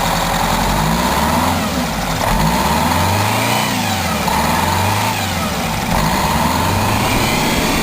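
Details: 1987 Wanderlodge PT40 rear-engine 8V92TA Detroit two-stroke diesel, after a cold start following about 5 months sitting, camera mic outside and overwhelmed: a deep, raspy note rises and falls cleanly through several revs and settles back without misses; healthy.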